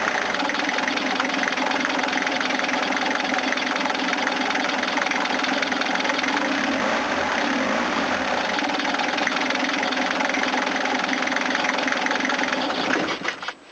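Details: 1980s Toyota Hiace diesel van after purging air from fuel system: catches and settles into a steady, even clatter for about thirteen seconds, then shuts off; normal diesel running.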